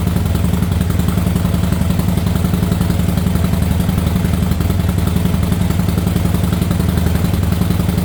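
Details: Harley Sportster V-twin with newly installed Quantum EFI fuel pump and Screaming Eagle plug wires: steady, low, lumpy idle at an even beat near 220 a minute, no misses or knocks; fuelling healthy.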